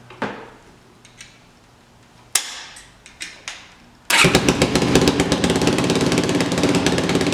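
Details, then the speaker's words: Yamaha YFZ 450 quad after carburetor work: a few clicks, fires right up and settles into a quick steady single-cylinder idle, exhaust raspy from a big hole in the pipe, battery weak; runs really good; normal idle. "Alright, she fired right up. That sounds really good. The big hole in the pipe doesn't help, but sounds like it's running really good."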